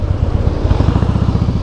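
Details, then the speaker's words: 2008 Harley-Davidson Softail Heritage with Screaming Eagle exhausts, when downshifting: deep pulsing low throb with a loud, repeating grinding creak from the primary drive area; cause unconfirmed, to be checked by a mechanic. "muito alto o rangido aí"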